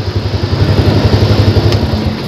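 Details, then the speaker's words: Yamaha Jupiter Z single after a dak-dak-dak engine knock was fixed by replacing only three bolts: steady, even idle putt-putt with no knocking or rattle, same calm sound revved or not; slight air noise near the cover; normal idle. "Oke seperti itu teman-teman caranya digas sama tidak digas dia tetap sama anteng suaranya sekarang menjadi benar-benar angok"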